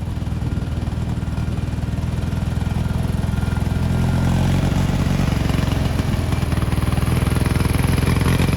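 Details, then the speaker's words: 1987 Gravely Professional 18G riding mower, Kohler Magnum 18 hp engine with original 35-year-old carburetor: engine chugs unevenly, rising and sagging with no throttle input as the linkage moves by itself; surging, carburetor out of adjustment. "It is acting sporadically all on its own, basically changing throttle settings without us moving the throttle lever up top."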